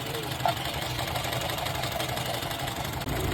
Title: Car Misfire #foryou